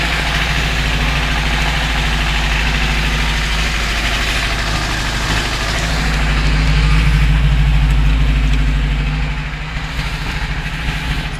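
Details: UZAM 412 engine at steady idle: regular knock about three times a second over the low rumble, from inside the engine, cause unknown; engine knock.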